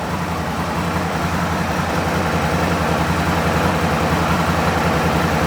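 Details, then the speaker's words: Gen 1 Aprilia RSV Mille / Tuono Rotax V-twin at idle while the clutch lever is pulled in; the clutch needs a bleed. Lumpy idle with a light, loose rattle that changes as the clutch pack unloads: normal Rotax dry clutch noise, nothing wrong. "There's nothing wrong with that noise there. Rotax engines tend to be a little bit noisy."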